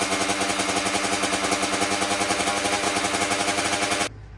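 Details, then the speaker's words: 2009 Kawasaki KX85 two-stroke with 35 pilot and 135 main jets: loud fast uneven crackle, then suddenly cuts out, running rough and lean. Pilot far below recommended 42; owner suspects an air leak. "Pro Circuit recommends for the KX85 a 138 for the main and a 42 for the pilot, so we were way too small on the pilot."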